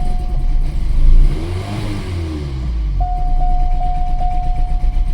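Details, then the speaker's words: 2006 Chevy Cobalt with codes P0068, P0106 and P0300, after the codes were reset and with mass airflow sensor codes expected. Revs climb and sag unevenly with a heavy choppy stutter; a hard misfire, cause unconfirmed. "so I bet it'll run great this time though huh now we've got a really heavy stutter"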